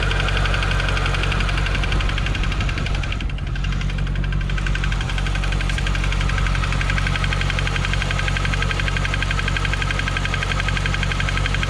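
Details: 2015 C7 Corvette Z51, six-speed manual, Edelbrock supercharged, 80,000 miles, idling: fast light tick over the deep V8 burble in time with idle; owner suspects AFM lifter failure, cylinder 7 driver bank, later thinks it comes from the front.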